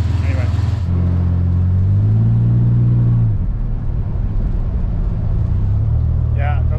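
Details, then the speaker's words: Vehicle with freshly rebuilt engine (under 1,000 miles) driven through corners after all four wheel bearings replaced (driver-side inner bearings had fallen apart): engine pulls and eases off over smooth road rumble, no rattle or growl when turning. "seems like it's doing all right i don't hear that little rattle noise anymore"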